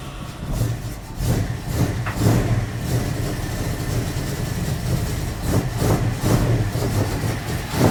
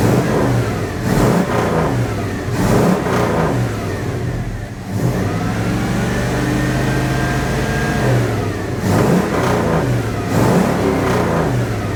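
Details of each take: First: Magnum 5.9L V8 in a 1980 Dodge W200, Holley 600 cfm carb with 65 jets and 9.5 power valve, cold start with choke wired open: uneven, lumpy idle with surges and stumbles; running super rich from oversized jets, to be swapped for 64s. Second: 1980 Dodge W200, Magnum 5.9L V8, Holley 600 cfm carburettor with 66 jets, engine cooled down: repeated revs climb cleanly and fall back smoothly, slight bog at the start. Normal revving.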